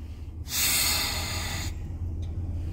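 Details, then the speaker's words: Customer complains the brakes are hard to grab; with no engine codes and the engine idling, a sharp airy hiss rises for about a second as the brake pedal is pressed, then dies away; vacuum leak suspected. "Voy a acercar un poco más la cámara para ver si podemos capturar el ruido que hace cuando yo freno."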